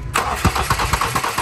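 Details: Engine cranking with no start: quick even starter chatter about six turns per second, no catch or firing, camshaft side not turning because of a stripped timing belt.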